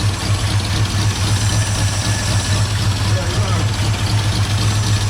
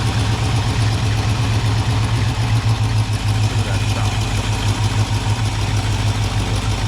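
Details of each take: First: 1978 Ford Bronco, first start after sitting, loping idle coming off choke: sharp puffing tick on each exhaust pulse, about four per second; exhaust leak where the pipe attaches to the exhaust manifold, which tends to crack. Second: 1978 Ford Bronco carbureted engine, cold on choke after idle screw adjusted half a turn: deep even low rumble at steady idle, no misses or knocks; normal idle, still needs warming up.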